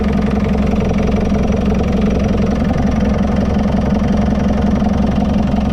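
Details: JCB 526 diesel after new fan belt and tensioner pulley fitted; loud even idle with a steady low rumble, no squeal or slap from the belt: runs normally, normal idle.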